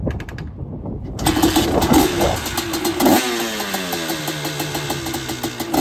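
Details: Honda TRX250R with a freshly finished Sparks Racing 265 two-stroke build: fires after a couple of kicks, then crisp ringing revs that rise and settle cleanly. The engine runs strong and healthy.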